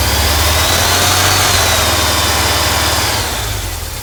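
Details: 1989 VW Vanagon 2.1 WBX flat-four rough lumpy idle about three pulses a second after new fuel hoses and fuel pressure regulator; owner suspects poorly seated injectors.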